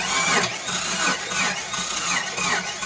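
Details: Jeep Wrangler YJ 4.2 inline six after ignition coil replacement, cranked with a remote starter: sluggish uneven cranking about one turn per second, never catches; battery was dead, charger not plugged in; slow crank from weak battery.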